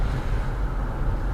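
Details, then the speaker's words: Car driven on the road after braking, revs below 1,000 rpm, then throttle reapplied without changing down; deep uneven rumble with the car shaking and vibrating: engine lugging at low revs, needs a lower gear. "the engine when you put your foot back down started rumbling the car shook vibrate yeah"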